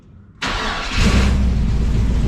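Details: Old Toyota FJ40 on its first start after exhaust leak repair and a new aluminum fuel line, temporarily hooked up. It cranks briefly, catches cleanly and settles into a low, even, quiet idle with no exhaust puffing or ticking; normal idle.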